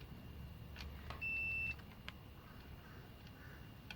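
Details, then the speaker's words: LG 60PV250 plasma TV that turns on and off with no display: steady high multimeter continuity beep showing a short on the VS/VA line traced to one board, which shows brownish overheating and cracked coil pins. "so there is a shirt here so this is the board that's causing the problem"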